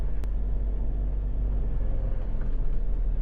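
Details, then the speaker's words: JPSTAR Happy1 Turbo kei camper climbing a steep slope at 3000 rpm: smooth, steady low drone held under load with no knock, whine or hesitation; climbs easily, engine healthy. "Bây giờ chúng ta đang ở trên một con dốc lên dốc đứng. Tôi đang chạy ở tốc độ 3000 vòng/phút."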